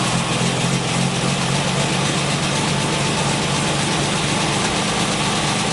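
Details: 1968 MGC after replacing faulty new ignition coil (with refurbished distributor) that caused no-start: starts, steady even idle with no misses or hunting; coil was the only problem.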